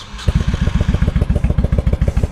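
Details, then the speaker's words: 1995 Honda Shadow 1100 V-twin with 22,000 miles, started on a warm day without choke. It fires at once and settles into a steady, even loping beat of about seven pulses a second. A healthy, well-tuned idle. "actually I'm pretty pretty impressed with how this thing runs nice and tuned up"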